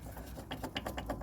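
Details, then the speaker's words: 2015 Ford Mondeo Mk5 rear suspension rattle not found at MOT: removed rear shock absorber with top mount shaken by hand gives quick loose rattling clicks, about eight a second; likely broken-up top mount bush; worn shock absorber top mount, whole unit to be replaced. "that is that is definitely the rattling noise"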